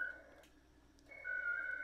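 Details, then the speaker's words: Winlink email over ham radio, ARDOP connection to RMS station WM4RB after handshake: bursts of steady high tone near 1.5 kHz, short pause, tone again as radio transmits and receives; normal modem data exchange. "And now my radio and the WM4RB station are communicating. And my radio is transmitting and then receiving signal."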